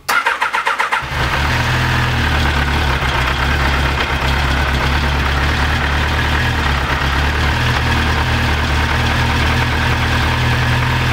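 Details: Honda CBR 1000F SC24 after standing a few weeks: about a second of uneven cranking chugs, then it catches weakly and settles into a steady idle; hard starting after standing, worse the longer it sits, cause not confirmed.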